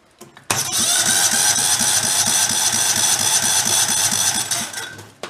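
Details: Salvaged failed Kohler Command engine: starter spins the engine with an even, steady chug of about three beats a second; compression on cranking sounds healthy and balanced.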